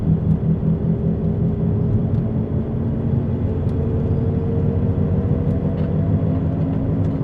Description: This is what a bad wheel bearing sounds like. It has a whomping noise and will get louder and louder the more you drive on it.